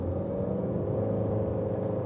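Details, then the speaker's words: 2016 Honda Civic with CVT transmission, driving under load; even low drone with steady hum around 500 Hz while pulling, sounds like sliding but isn't, no flare or shudder; normal CVT noise. "can hear it kind of sliding there even though it's not sliding Google what a CVT does and you'll see why it works so efficiently but makes a little bit more noise than people are used to"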